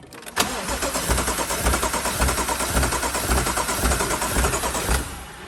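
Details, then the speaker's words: BMW M135i after full engine rebuild following seizure from oil loss (crank journals ground), first cold start attempt: starter churns in even slow pulses about five seconds without firing, fuel not yet primed through to the engine. "we've got to keep cranking it it's kicking just gotta get the fuel through to the engine"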